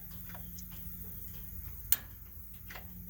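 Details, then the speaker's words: Propane (LP) tractor, key on: a single sharp click over a quiet low hum as the solenoid inside the fuel lock strainer opens, one of the safeguards against propane leaks; normal fuel lock solenoid click. "that is the fuel solenoid opening so there are actually three but there are actually two in parallel there are three safeguards against propane leak"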